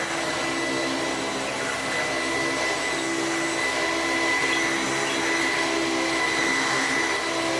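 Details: Sebo commercial vacuum switched on to confirm it still runs: steady, even motor whir with a constant high tone and smooth airflow rush, no rattles or surging. It runs normally.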